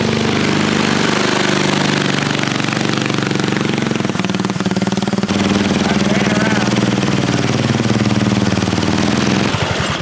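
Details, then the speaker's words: Half-scale NASCAR Mini Cup race car, small engine: revs hard and stays high with a rough, buzzy drone that won't settle. The old clutch, possibly fried earlier, is slipping, sparking and sizzled while the correct replacement clutch is still on order. "clutch is shooting sparks. This clutch is not going to [Applause] work. That thing is sizzled."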